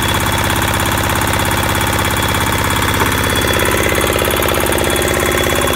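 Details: Military-surplus Hatz single-cylinder diesel, unused since stored in 2003, first start: steady, even chug at about three beats a second, no misses or knocks; runs smooth and healthy.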